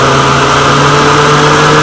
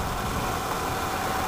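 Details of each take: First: Woodgas-fuelled truck with the mixer valve worked by hand rather than the servo that let it lean out and stall: steady mid-speed drone, then revs sag and die away as the valve is let go. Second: Wood-gas-fuelled truck engine: low, lumpy idle with a shaky beat that dies when throttle is increased; the servo lets the engine suck the mixer valve open, leaning the mixture and stalling; runs only with the valve worked by hand.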